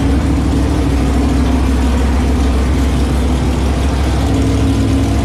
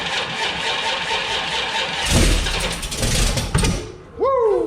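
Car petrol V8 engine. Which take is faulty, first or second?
second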